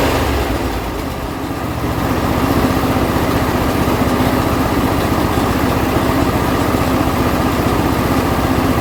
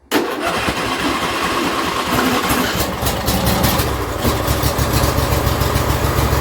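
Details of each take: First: John Deere L120 mower after a carburetor replacement, choke on and throttle about midway: the single-cylinder engine catches after a brief dip and settles into a steady, even putter. Normal running with no gas poured in the carburetor. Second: John Deere L120 lawn tractor small engine won't start on choke, only catches with a splash of fuel in the intake and runs rough; carburetor not feeding fuel.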